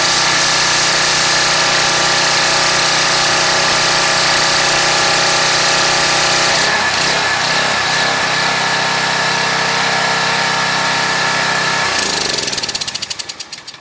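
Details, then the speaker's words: Craftsman 2700 PSI pressure washer, Briggs & Stratton 175cc engine, after carburetor repair for a no-start: steady high-pitched drone under full pressure, briefly loading then holding, winding down at shutoff; runs clean and healthy. "Put the machine under load, full-blown pressure. See how this goes."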